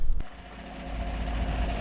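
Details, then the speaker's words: 2015 Chevrolet Silverado 5.3L, being repaired for code P06DD hesitation and stalling, start after reinstalling the water pump: a short bump settles into a smooth, steady low idle with no ticking or knocking. "All right, so got the engine running. Seems to be idling good. I'm gonna let it warm up, make sure, you know, check the coolant, but I'm gonna have to drive it. The RPMs looks very steady"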